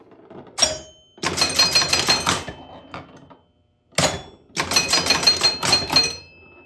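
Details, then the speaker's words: Grand Prix pinball, after bending a stuck 10-point leaf switch so the chimes work again: sharp chime strikes with a buzzy metallic rattle trailing some hits; one chime is loose and its retaining wire vibrates; chimes need fixing. "That sounds messed up. You can hear that one chime is really loose because you can hear that wire that holds it together vibrate around in"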